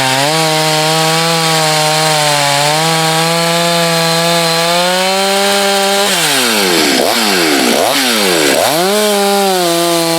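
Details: Husqvarna chainsaw test cuts in firewood (51 salvage saw tested alongside a 254 and a 562, the 562 heat-soaked, then hot starts): crisp high-revving two-stroke scream sagging as the chain bites and snapping back; strong, healthy saw under load.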